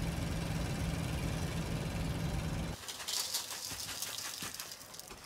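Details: Van engine idling: uneven rattling at roughly three to four per second, then it drops away; sounds like an exhaust leak, cause unconfirmed.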